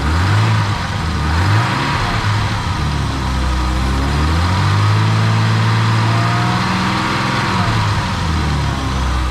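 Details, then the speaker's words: Old BMW E12 after dropping and cleaning a rusty fuel tank and replacing a torn fuel hose for a fuel-cutting issue: blipping the throttle, revs still dip briefly instead of climbing cleanly; cause unclear. "let's see what happens when i rev it because before it would uh go down let's see if it goes up"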